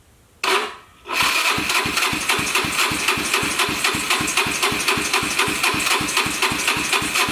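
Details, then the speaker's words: Wrecked auction Yamaha Vino 125 scooter with a bent down tube and 120 PSI compression, started by jumping the starter. Brief starter whir, then the single-cylinder catches at once into a steady, even idle putter; electric start works. "It works! Sweet, electric start and everything."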